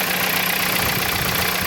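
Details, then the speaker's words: Dodge Caliber idling after start-up: thin, fast metallic chatter from the timing chains; stretched chain, tensioner or guides suspected, not confirmed; codes P0365 and P0340 pointed to camshaft sensors, which were tested to rule out. "justo en este ruido [Música] están tensor cadena estirada puede ser los patines Ok"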